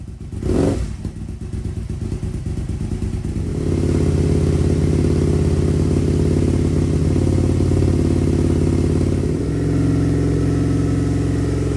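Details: 2002 Aprilia RSV V-twin barn find after fuel system rebuild, larger battery fitted: catches after a blip and settles into strong even lumpy beat with no misses; running cleanly and healthy.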